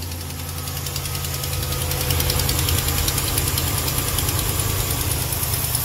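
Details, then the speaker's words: Dodge Ram 5.7L Hemi, 125,000 miles, cold start first thing in the morning: V8 idle with a light rapid tick on one side. It is not a lifter or camshaft tick; an exhaust leak from a broken rear manifold stud is suspected. "That is not a lifter camshaft type tick. Alright, guys, do not get fooled, do not get tricked, okay?"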